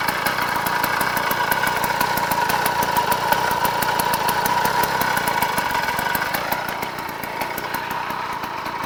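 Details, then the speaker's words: 49cc two-stroke motorized bicycle kit, freshly completed first run on break-in oil mix, smoking heavily: fast steady buzzing crackle, slight dip near end; runs evenly and healthy. "Alright, I don't know if you can hear me really, but there's the finished gas bike, and it is running."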